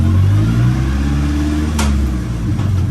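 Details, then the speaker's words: Nissan S15 just fitted with a new gearbox, driven in third: an even, deep engine drone with a steady revving pull and no whine, clunk or grind; it runs nice and smooth. "Car is running nice enough. Yeah, it's nice and smooth."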